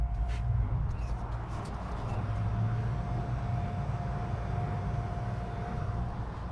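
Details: Barra-swapped Nissan 350Z drift car, wipers switched on from the switch panel: steady mid-pitched motor hum over a quiet low rumble, no grinding or catching. Wiper motor working normally.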